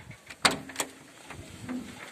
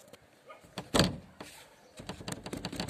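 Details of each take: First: A couple of firm single clunks from the swing-out rear doors after fixing their play with a pin, washers and plastic pads; no loose after-rattle, and the doors now shut solid and quiet. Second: Rear swing (barn-style) door: rocking it gives one sharp clunk, then lighter knocks. Worn hinge pin and seat play, also felt from below when driving. Fix is a new pin with 15/20 mm plumbing rubber gaskets.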